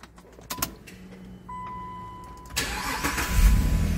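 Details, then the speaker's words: 2011 Jeep Liberty with intermittent hot no-crank complaint, no fault codes: chime, then engine catches promptly and settles to steady idle; fault not reproduced on this start. "enciende bien mientras ustedes no leen la falla no se puede hacer nada al respecto"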